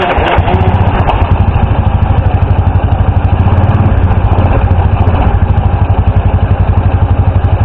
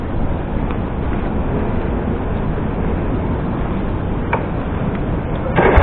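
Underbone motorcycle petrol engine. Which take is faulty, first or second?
first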